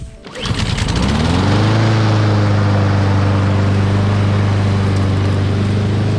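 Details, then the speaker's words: Honda lawn mower, roadside find, not old, that would not start; after carburetor cleaning and reassembly it catches quickly and settles into a steady, even drone with no misses or surging: normal running. "Cleaning the carburetor did the trick, so I hope this video helped."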